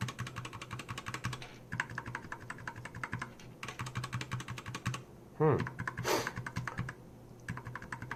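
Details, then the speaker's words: Keychron K4 LK optical red switch lubed with Super Lube oil, tested in the socket: quick runs of crisp, even clicks with no scratch or squeak. The oil squeak faded after a few presses, and the switches sound smooth and healthy. "You can hear that oil smearing squeaky sound already, but after a couple presses it kind of goes away."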